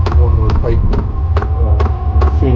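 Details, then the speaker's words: Diesel heater in a DIY RV build, blower running with a steady low hum and soft throb, blowing cold air at first after the fuel pump ticked and it fired up; normal operation. "Hear the blower going. It is pumping."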